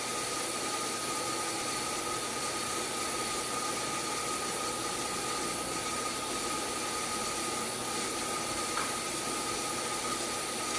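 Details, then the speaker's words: Sun SPARCStation 20 at power-on self-test: loud constant rushing whoosh with thin steady whistle, like a broken vacuum cleaner; failing cooling fan, replaced afterwards. "from the fact that it sounds like a broken vacuum cleaner or something it seems to work really seems to work so"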